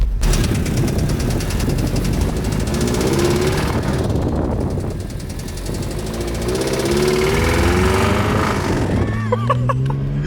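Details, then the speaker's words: Toyota MR2 engine started before an engine swap, hammering with a heavy, fast rod knock about three per second, harsh and rattly, before it stalls. "Dude. That was bad. It's knocking. Dude, get it home quickly. Oh God. It's knocking so bad, so it might stop at any point."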